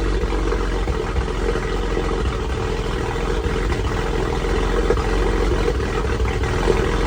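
Cold idle with an uneven, lumpy pulse and no steady rhythm, roughly three stumbles a second; sounds like a misfire at startup. Cause suspected, not confirmed.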